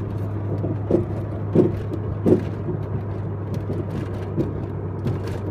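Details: Volvo 850R: low steady hum with irregular dull clunks, a few knocks about a second apart, then quieter ones; clunking noise from somewhere underneath, source unknown.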